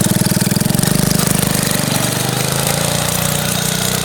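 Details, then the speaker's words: Yurf Dog go-kart with 212 Predator single-cylinder and top-mounted forward/reverse gearbox, first street ride, revving hard: rapid uneven slapping rattle from the slack drive chain jumping around; chain tensioner needed. "It worked out really well, other than the fact that the chain slaps around a lot. You'll hear in the video."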